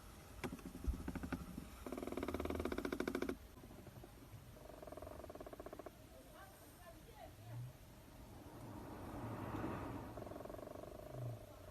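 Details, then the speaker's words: BYD Song Plus DM-i with the air conditioning starting up: bursts of fast, dry creaking ticks behind the glovebox, traced to the black and white gears of the HVAC actuator. "这刚才是把手套箱给拆了，这回知道是空调哪块嘎吱嘎吱响了。"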